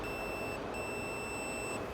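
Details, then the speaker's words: 2008 Pontiac Grand Prix with no crank and no PCM communication: multimeter probe from the PCM data signal pin to the data link connector gives a steady continuity beep with one brief break, so the data circuit is intact. "So that entire circuit is good."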